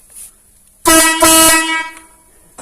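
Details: Air horn that had begun sounding weak, trumpet fed directly with shop compressed air apart from its compressor: two loud, clear, steady blasts with a full reedy tone; trumpet sounds normal.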